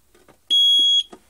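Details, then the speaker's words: AVISS EVAC type 2b fire alarm panel with mains supply unplugged: a single sharp high beep about half a second long, indicator flashing; power supply fault warning. "Le futorisant il clignote. On entend bip, bip, bip. Ça veut dire dérangement des fours alimentation."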